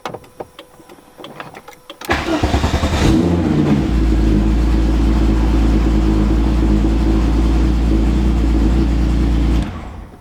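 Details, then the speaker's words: VW VR6 with alarm bypassed but still flashing, after cranking with clicking: engine catches about two seconds in and holds a steady fast idle that never settles; idling really high after start. "and now it's ising really high and the alarm is still flashing"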